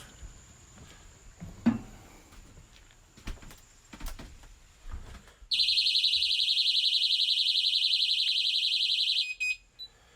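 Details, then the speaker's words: Technaxx TX-100 motion detector sensor alarm, heard indoors, set off on walking in the door: quiet handling noises, then a piercing high warbling siren pulsing three to four times a second for several seconds; alarm triggering normally and loud. "Well, that's pretty loud. And I got basically just in the door on the way to the bedroom."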